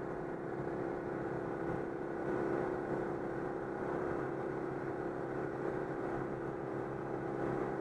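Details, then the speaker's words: Citroën 2CV twin after repair of an air leak in the fuel hose ahead of the fuel pump, cruising at 90 km/h on the motorway: steady, even drone with no stumbles or surging; now runs normally. "c'est bon c'est réparé je vais à 90 stabiliser les cinq ans"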